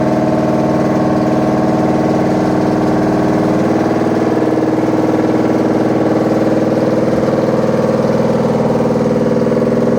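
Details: Washing machine with loud rumbling during the wash: a steady drone with dense, fast churning of roughly two beats a second, heavier than a normal wash, like a load of bricks; cause unclear.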